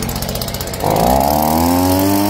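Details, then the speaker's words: New Stihl BG50 blower, warm restart after about 15 seconds of running: fires on one quick pull and settles into a steady, high two-stroke buzz. Starts cleanly when warm. "lo apago y ahora como el motor está caliente lo vamos a hacer como un derecho"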